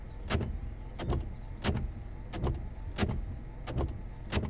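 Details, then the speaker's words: 2015 Hyundai Sonata windshield wipers in rain: a regular thump about every three quarters of a second with a squeaky scrape on each stroke. Noisy wipers, possibly specific to this vehicle. "we woke up this morning to rain not a good thing however it did help expose a pet peeve that involved the wipers have a"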